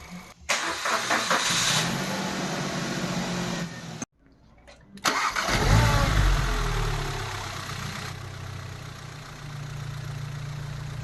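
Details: Normal family car engine, as checked when inspecting a used car for abnormal noises: cranks, catches quickly, settles to even steady idle with no ticks or knocks; healthy.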